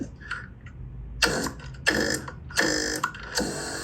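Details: 2012 Mercedes C250 front passenger power seat after replacing the seat motor cable: short bursts of smooth motor whir as the seat drives back and forth; seat motor works normally again.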